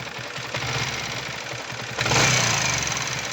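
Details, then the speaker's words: Yamaha R15 V3 BS6 at about 8000 km, heavy noise from the engine and cylinder head before repair: rapid light ticking over the revs, sharpening as the throttle opens, from a worn rocker arm chattering in the head. "இன்ஜின்லயும் engine ஹெட்ல வந்து ரொம்ப noise வருது அது எப்படி நம்ம சரி பண்றதுன்னு இந்த வீடியோல பார்க்கலாம்"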